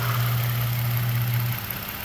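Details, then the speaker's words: 2014 Toyota Sienna at steady idle, lean codes bank 1 and bank 2: airy sucking hiss from an open port where a vacuum line is missing; engine note changes when the hole is covered, fuel trim adding 8-10%; vacuum leak. "So if I were to put my finger over this hole here, I don't know if you can hear the engine sound. It's louder, it gets quiet."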